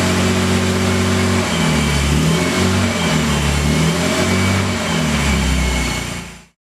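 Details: Series II E-Type Jaguar after engine and gearbox rebuild, first start on running-in oil: catches and runs strong, rising and falling cleanly with each throttle blip, even firing and no knocks; healthy freshly rebuilt engine.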